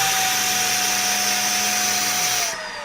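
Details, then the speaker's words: Old-school Sanitaire/Shark upright vacuum with no suction, running while vacuuming a rug: steady high whistle over motor whine, then winding down; air choked by clogs in hose and another section; clogged hose. "Wait, there's more clog, guys. There's another clog. Holy cow, there's more."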